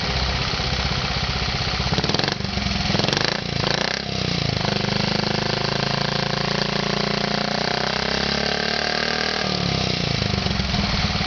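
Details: Honda Z50 small single-cylinder starts on first kick, then settles into a steady, even idle with no knocks, rattles or leaks; normal idle.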